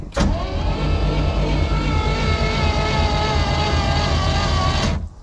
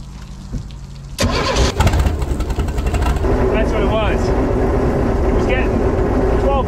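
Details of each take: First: Vintage Caravelle boat engine sitting since the 90s, plugs out and carb lubed, cranking to build oil pressure: sluggish five-second labouring crank; slow cranking, Optima battery believed low and needing a charge. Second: Vintage Caravelle boat inline-six, sitting since the 1990s, first start after hot-wiring the coil: cranks once, catches quickly, and settles into an even, smooth idle with no misses or knocks. Healthy.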